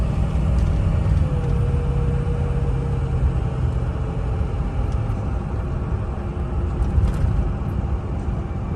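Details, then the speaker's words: Ford 6.0 diesel truck after cleaning the exhaust back pressure tube (previously no boost, no power, chugging): deep, even rumble pulling smoothly under load without hesitation, boost now building; running healthy. "Big difference, big difference. Truck is peppy, truck wants to run instead of hesitating."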